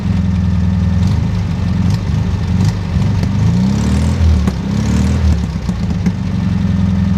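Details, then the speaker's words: 1969 VW Bug air-cooled engine, freshly fitted 009/034 hybrid dual-advance distributor, idle just set: low loud idle that wavers and stumbles, running rough; engine needs a rebuild, and the owner suspects an air leak at the old intake manifold boots. "I think I've got it set to idle pretty well it's running rough the engine needs to rebuild but at least a refresh"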